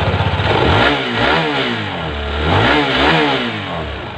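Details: Honda Vario 160 scooter whose starter only went "sleg sleg" and would not start the engine: the starter now catches and the engine settles into an even putter with a few throttle blips, no grinding or slipping. Starts and idles normally.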